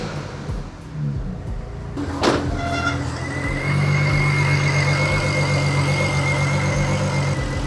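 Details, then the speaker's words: BMW 335i with N54 engine: cranks, catches, then stumbling uneven idle with a groan underneath, groan from fluid on the belt; misfire code cylinder one. "But it sounds like she has a misfire. I got a little egregious with it and I didn't show you guys the codes, but it does have a code for misfire cylinder one, which is not good."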